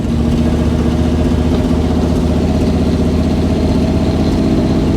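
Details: Dodge Adventurer 4x4 revived after sitting about 10 years, running from a temporary fuel tank on a weak battery: engine settles into a steady, low idle with a consistent beat and no knocks; slight exhaust manifold leak noted, otherwise normal idle.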